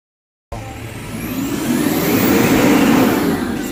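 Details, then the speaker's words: Isuzu Trooper with multiple engine faults, after repair by ITR: engine revs up smoothly with an even rising roar, no stumble; earlier lagging gone, fuel delivery improved, ECM now receiving data, no check-engine light. "Tapos ito sir lumiit na yung pagitan mo gumanda na rin yung delivered fuel mo wala na yung lagging"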